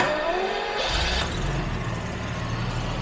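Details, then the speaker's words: Jaguar XJ12 V12 after the mixture was set two clicks leaner to cure a misfire on slow throttle rise; it revs and picks up right away, settling into a very smooth, even hum with no stumble. "it's very very smooth yeah and it picks up right away oh it's running beautifully this is how i remember this thing runs"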